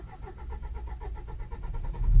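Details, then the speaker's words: Nissan Qashqai 1.5 dCi diesel cranking slowly on a flat battery, only just catching then shaking and dying, like fuel starvation; caused by a severely blocked DPF over 30 psi, after a failed forced regeneration. "so it struggles to start and you can hear the engine sort of shaking here it's vibrating and it struggles and D out sort of similar to uh fuel starvation but it is definitely a blocked DF"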